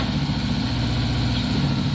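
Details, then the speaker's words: 50-year-old Triumph Bonneville T120 twin after a Pazon electronic ignition upgrade, still on Mikuni carbs while the Amals are rebuilt: steady, even burble at idle with a regular low thump, no misfires; the ignition made it much smoother. "what a bike the look the sound wow look at that wow that is unbelievable you just don't get that sound anymore guys"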